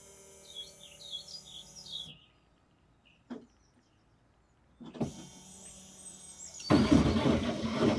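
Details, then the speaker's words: 15-year-old 2009 Vauxhall/Opel Insignia, 147,000 miles, during a service after filter changes: ignition switched on and off repeatedly, a steady electric whine runs a couple of seconds, stops, then returns; fuel pump priming normally. "What I'm going to do now is I'm just going to switch the ignition on and off about five or six times. You'll hear a whining sound. That's the fuel pump pulling fuel in."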